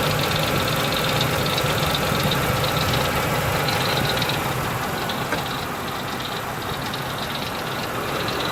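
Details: 2003 Ford Expedition V8 at idle: light steady tick about three a second over the engine hum; owner suspects a pulley, hopes not internal; cause unconfirmed engine ticking.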